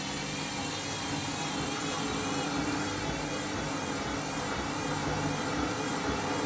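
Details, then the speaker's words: Candy washing machine overloaded with a big load, spin cycle: steady whirring spin wavering up and down in pitch every second or so, drum not hitting the side; badly out of balance, possible sud lock suspected. "At least it's not hitting the side of the drum, because you usually hear that. That's pretty out of balance now."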